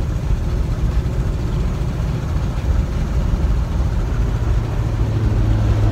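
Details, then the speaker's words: 1991 Jeep Grand Wagoneer at idle: loud, deep rumble with raspy puffing edge, louder than it should be; exhaust leak. "but we have an exhaust leak when you're driving the Jeep it sounds like you're running a lot more"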